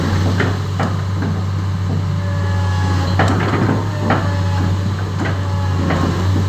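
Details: PC10-8 mini excavator after engine controller replacement fixed a no-start: steady low diesel idle with even throb and some clanks from around the machine; engine starts and runs normally.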